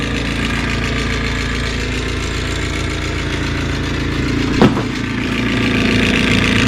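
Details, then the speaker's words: Bryant furnace inducer motor with a loud constant mechanical roar and rough drone, much noisier than normal; the furnace is missing a screw; cause not confirmed, and it later sounds only slightly better. "Wow, it's loud. Holy smokes, that's loud."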